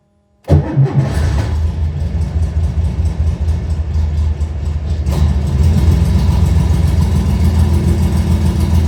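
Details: 1970 Porsche 911T, not driven in over a decade, no bumpers: fires and settles into an uneven, lumpy idle missing beats rather than running smooth.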